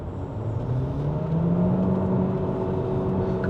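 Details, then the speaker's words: Proton eMas 7 PHEV, 1.5L naturally aspirated 4-cylinder Atkinson hybrid engine shared with the Proton Saga, about 22% battery, heavy throttle in combined fuel-electric mode: engine note climbs smoothly and steadily, no knocks or rattles; healthy. "当我听到这个引擎声浪的时候那时候我就心想，哎呦！怎么这个声音好像哪里听过一样这个声音原来是跟 Proton Saga 一样的对呀"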